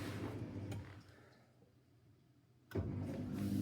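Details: Miele dishwasher with F19/F13 inlet/drain fault, after replacing the circuit board in the water inlet pocket: low steady drain pump hum dips briefly, then returns stronger and even before the machine takes in fresh water; normal drain pump operation.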